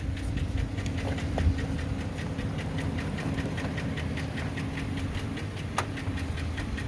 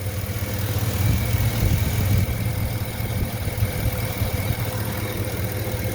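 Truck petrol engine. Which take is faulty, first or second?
first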